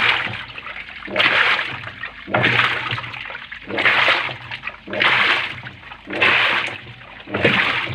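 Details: Panasonic washing machine after its broken, loose drive belt was replaced with a same-size belt: water sloshes in regular surges, about fifty a minute, as the drum swings back and forth, showing normal wash agitation.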